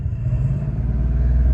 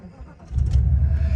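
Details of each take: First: 1989 Mercedes 560SEL, power loss above 1800 rpm from suspected variable vacuum leak, warm-up phase: deep, even engine rumble swelling gently as revs rise, no misfire or stumble at low rpm; revving cleanly, cause not confirmed. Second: 1989 Mercedes 560SEL with power loss above 1800 rpm from suspected vacuum leak, oxygen sensor disconnected: brief crank, catches cleanly, settles into smooth, steady low idle with no misses; starts and idles normally.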